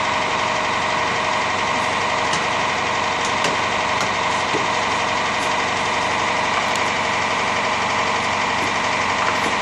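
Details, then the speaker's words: Shop air compressor, long known for this noise, running in the background: constant drone with irregular clacks and knocks from the pump; owner says it sounds like a rod is ready to pop out, cause not confirmed. "oh yeah that is our notorious air compressor that you hear on about every one of our videos it sounds like it's got a rod ready to go popping out of it"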